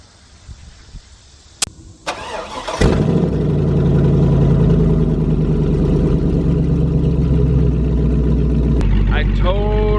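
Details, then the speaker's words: LS-swapped OBS Chevrolet Suburban V8, exhaust cut right behind the catalytic converters after at least one converter was clogged: cranks and settles into a loud, raw, booming idle; straight-pipe exhaust with no muffler or cats. "I decided let's just hack them off and I hacked him like right behind the converters in kind of hopes that it would still be somewhat drivable and it sucks it really sucks I hate straight pipes like more than a lot"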